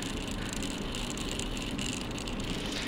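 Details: Stationary, unloaded JR DS811 digital servos on FrSky 2.4GHz telemetry receiver with JR X-3810 transmitter, 6V 1200mAh NiMH pack; fine steady buzzing chatter, jittering in place once telemetry is on; Rx servo pulses were measured rock solid, cause under analysis.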